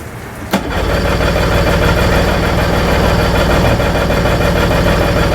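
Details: Tohatsu outboard on a water hose, running poorly even after carb and fuel pump rebuild, started on choke: uneven, lumpy idle with irregular beats around 200 a minute; misfiring, not firing on all cylinders.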